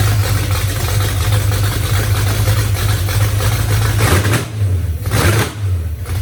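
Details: 1982 Mustang 5.0 V8 second start after wiring the Davies Craig fan/water pump controller and MSD tach adapter, carburetor roughly set, needs final tuning: deep lumpy rumble settling to steady idle with small throttle blips, no knocks or misses.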